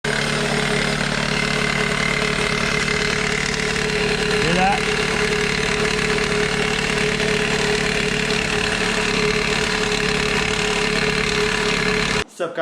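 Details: 2001 Toyota Corolla at idle with a busy metallic chatter of about four per second; worn serpentine belt tensioner rattling, fixed by replacing the tensioner.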